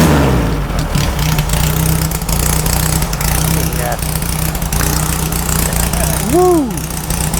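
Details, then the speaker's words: Restored VW beach buggy, first start after cranking to prime the fuel pump: loud, steady air-cooled flat-four idle with even low beat, no knocks or misses; engine running healthy. "that is loud holy crap yeah but that's"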